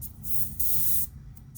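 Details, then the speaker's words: Airbrush air valve on hose alone with compressor running: bursts of airy hiss cut in and out as the valve is pressed, with a little hesitation like a thump between; the air valve hesitates. "There's this little, I don't know if you can hear it. It's like this little hesitation, like a thump. So something's going on there."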